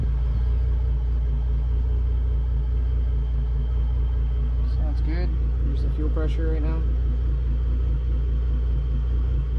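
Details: Twin 2006 Mercury Verado 275 outboards, about 1300–1400 hours, just fitted with new NP Boosted pencil coils, started and watched on fuel pressure gauge: deep steady low rumble, even beat, no misses; idling smoothly.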